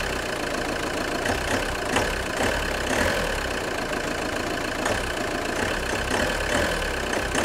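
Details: JTD 105 diesel idling cold: irregular light creaks and ticks over steady idle, weird creaking noise when engine is cold, cause not yet pinned down.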